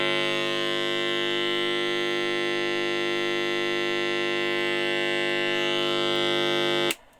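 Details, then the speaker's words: Modified sine wave inverter installed in a motorhome, driving the same bare test speaker: loud, steady, harsh buzzing hum with a rough edge, then cut off; louder and more distorted than the pure sine inverter. "quite a bit louder and also a bit more Distortion"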